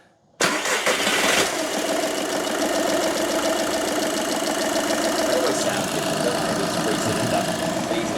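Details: 2013 VW Polo 6R 1.2 TDi after oil filter cooler housing replacement for a coolant leak, run up toward temperature to check for leaks: catches at once and settles into an even, steady diesel idle with no misses or knocks; leak fixed.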